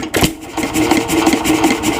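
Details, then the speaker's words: 1926 Nelson Bros. hit-and-miss engine, running after ignition timing was advanced from retarded: steady chuffing beat with crisp, solid firing pulses that hit significantly harder over a mechanical clatter. "now we'll go ahead and Advance the timing you can hear it hits significantly"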